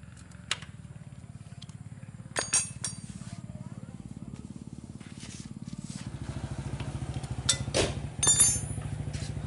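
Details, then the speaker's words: Motorcycle that would not start after disassembly at a workshop, now running after a trivial fault was found: even, quick exhaust pulses at steady idle; compression feels firmer and the sound has changed; normal idle. "Kompresinya lebih padat, suaranya pun juga lain ya."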